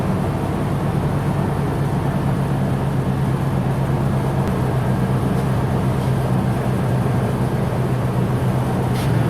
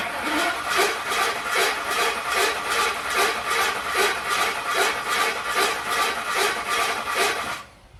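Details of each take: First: Ford 10th-generation F-150 first start with newly installed engine, run through break-in cycle to operating temperature with good oil pressure: even, steady low hum with no knocks, ticks or misses; healthy running. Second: Ford F150 (10th gen) first start after new engine install: starter cranks with a rough, scraping note each turn; not from the engine front, suspected flex plate or starter.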